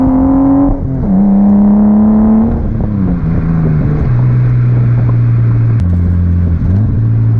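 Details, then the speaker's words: 1989 Nissan Skyline R32 GTS-t on a test drive after fitting new cheap coil packs, exhaust audible: clean pull through the gears, the note rising and dropping at each shift with no stutter or cutting out; smooth acceleration under boost. "I don't know if you can hear the exhaust but I don't know why these RVs sounds so good but do they sound good doesn't matter what the RPM is"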